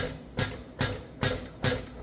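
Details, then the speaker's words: Hyster R80 forklift diesel injector on a pop tester, raised toward 3,000 PSI: sharp hissing bursts about every 0.4 seconds with crisp chatter and a fine fog; injector is worn out but will run, slightly smoky. "And you can see a really nice fog coming out of there now. That's what you want. We're getting closer to it operating correctly now."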